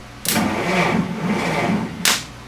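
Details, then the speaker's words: Massey Ferguson T20 tractor with electrical faults: starter drags the engine over slowly and unevenly with no catch; battery reads 12.9 V but drops to 5 V while cranking, so it cannot hold voltage. "I don't know why this is turning over so [Music] difficult."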